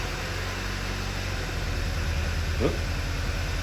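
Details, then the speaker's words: 2009 Volkswagen Eos 2.0T, 144,000 miles, flashing check engine light: uneven idle with low chuffs stumbling irregularly; cylinder 3 misfire counter rising, suspected faulty ignition coil, possibly worn plugs. "now as we see right away Cinder number three is counting up has 144,000 mil on it so on something with this many miles on it the culprit is usually an ignition coil"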